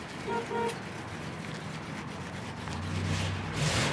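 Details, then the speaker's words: 1966 Ford Thunderbird Landau with a 428 V8, 3-speed automatic and 101,410 original miles on its stock exhaust, heard on a test drive; a low, even V8 burble under road noise with a horn toot, sounding healthy. "as you can hear with the stock exhaust just a very original stock low mileage car"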